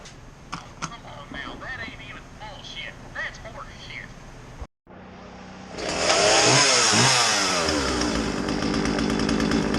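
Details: Old Husqvarna 36 chainsaw, test run after a tune-up including a new fuel line, following a no-start, possibly after years unused: quiet handling, a brief pause, then it fires and runs loud and steady with a crisp, even buzz; sounds healthy.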